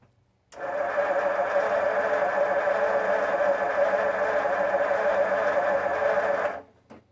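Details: 1952 Ford F-1, first start in 28 years after carb rebuild, PerTronix ignition, new plugs, wires, cap and rotor: about six seconds of even, fast starter cranking with no catch; it ran out of gas, having run on leftover fuel.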